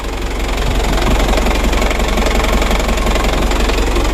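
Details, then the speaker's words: Used Mitsubishi Canter diesel truck at idle, thermostat open; harsh loud clatter about three knocks a second over a heavy low rumble. Sound is not so loud from the right side, and the owner suspects the injection pump timer or injection pump bearing; not confirmed. "ya walaupun hanya review di sini kita mendengar suara kasar teman-teman Kalau ada suara kasar seperti ini Kita cari dulu kita dengar baik-baik dari mana sumber suaranya"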